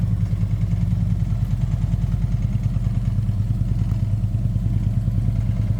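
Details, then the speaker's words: 2012 Harley-Davidson TriGlide, 19,869 original miles, Vance and Hines exhaust with high-airflow and tune, in neutral: loud even V-twin idle with regular loping beat, no ticking or knocking; healthy. "Let's go ahead and fire it up. We got it in neutral."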